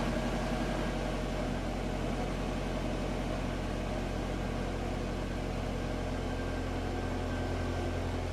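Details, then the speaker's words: Budget Honda CRX, B16 engine, after fixing code 14 by installing a new idle air control valve (A11 red wire to power, A19 spliced to chassis ground): steady low rumble, even pulse, no stumble or hunting; smooth stable idle, throttle response back. "as you can see, it's now idling better. The throttle response is back."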